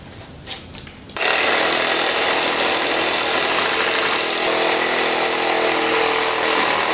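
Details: Tubeless motorcycle tire, sidewalls spread with the BeadSetR strap and the tire bounced: steady buzzing electric pump with a faint airy hiss of air escaping at the bead as pressure starts to build before the beads pop into place.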